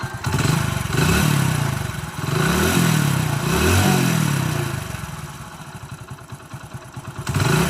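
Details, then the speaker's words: Telugu mechanic's reference bike with no smoke: the single-cylinder engine is blipped up and down from idle with clean, even firing and no knocks or rattles. The engine is in perfect condition. "Engine అయితే perfect ఉందన్నమాట బండి. మీరు engine sound అయితే వినండి క్లారిటీగా."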